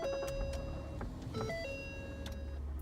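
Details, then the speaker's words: 2011 Ford Taurus after replacing the faulty A/C actuator behind the glovebox: engine idling with a low steady rumble and a few dash chimes, the clicking at startup now gone. "so we're no longer getting the annoying clicking sound anymore"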